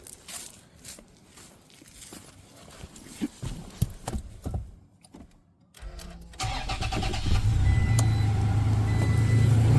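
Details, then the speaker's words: 3rd-gen Toyota Tacoma (2016–2023, V6 or 4-cylinder) cold start just after an oil change, settling into a smooth, even idle with no typical Tacoma lifter tick, at most slight injector tick; a normal quiet engine. "Yeah, it is nice and quiet. That is exactly what I heard when I started it. You know, there was not really a tick."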